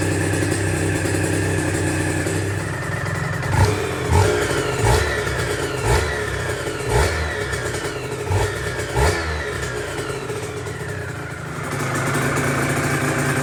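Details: Aprilia RS125 1990s two-stroke on temporary battery after coolant leak repair, with new air filter and modified airbox: steady idle with crisp throttle blips climbing and falling cleanly; running sweet.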